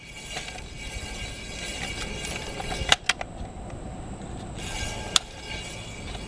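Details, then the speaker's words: 1963 Motorola record player with a single-decker idler wheel changer: a faint steady scrape with occasional clicks as the platter turns. The aged idler rubber has hardened and scrapes the metal platter, lacking torque and risking slow speed. "that's what a hard dollar wheel sounds like when it's scraping against the uh the metal turntable platter"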